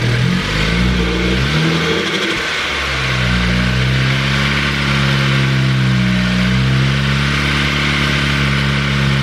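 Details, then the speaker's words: Ford Focus ST, first start of a new engine built with a Speed Performance pop-n-drop kit, after priming oil with plugs unplugged. Uneven, lumpy idle with wandering revs and blips; rough, grouchy running, cause unknown. "perfect very successful first start you got yeah it was like it was acting weird huh it was acting weird yeah"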